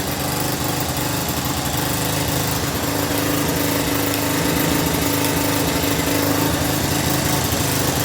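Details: Old Solifer 50R four-stroke moped after a new carburetor was fitted to fix stumbling from a membrane in poor condition: the small engine buzzes steadily and evenly with no hesitation. It runs normally.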